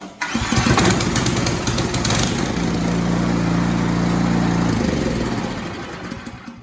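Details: Ariens Deluxe 24 snow thrower starting, with the headlight coming on automatically while running: the engine catches after a brief crank and settles into a steady, even single-cylinder run with no misses.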